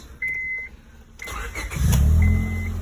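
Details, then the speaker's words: 2002 Honda Civic EX coupe starting after the failed AC compressor, whose clutch broke, was bypassed with a different belt: chime, short crank, instant catch, even smooth idle; the whining is gone. "starts up nice [Music] running smoothly I don't know if you guys can hear me motor but I just bypassed the AC sounds good runs good"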